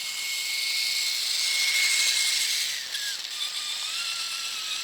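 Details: Axial Capra 1.9 4WS RC crawler with Fusion SE 1200 motor at full throttle on dry dirt: steady high-pitched motor and gear whine dipping slightly in pitch, smooth and healthy; seems quieter than with the 11-tooth pinion.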